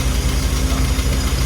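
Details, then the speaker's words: Carburetted engine at idle during tuning, mixture reading about 1.03 to 1.05 lambda: low idle with uneven, labouring beats that never settle smooth; struggling because the idle mixture is too lean. "Is it nice? No. Struggling. Because it's 1.03. Yeah, to 1.05. Too lean."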